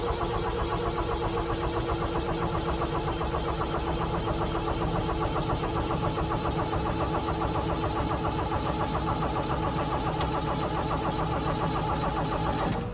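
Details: 1975 Ford Transit MK1 diesel, cold, glow plugs and grid heater used, cold start button not pushed in: steady starter churning about three and a half beats per second, never catching; cranks but won't start.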